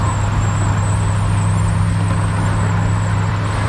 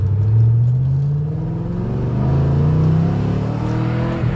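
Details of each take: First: 2012 Chevrolet Camaro SS (5th gen) at cruising speed with the windows up: a thin, high whistle steadily over the road rumble, from air leaking through the split in the mirror housing. It affects some Camaros from the factory. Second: 2012 Camaro SS (fifth generation) while driving: engine drone and tyre rumble with no high whistle, after tape over the split in the mirror stopped the wind whistle.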